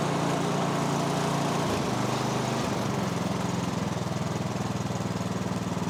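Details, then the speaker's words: Snowblower (MTD) single-cylinder engine, about 2–3 years old with roughly an hour of runtime, after the plugged carburettor pilot jet was cleared with a bigger guitar string: steady putter with a quick dip near two seconds, then settles smooth and regular. "A tiny little change in that pilot jet made that run so much better."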